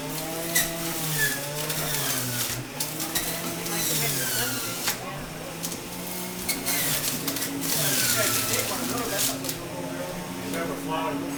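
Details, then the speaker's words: Omega BMJ330 Mega Mouth centrifugal juicer juicing a whole melon in under 30 seconds: loud high-speed motor whine dipping and recovering as fruit loads the basket, no grinding; loud by design compared with quiet slow juicers; normal running. "As soon as you hear this thing come on, because it's also loud, that's another negative of this machine, and those machines are quiet, so if you have to juice in the morning and you have family sleeping, this might not be the juicer either."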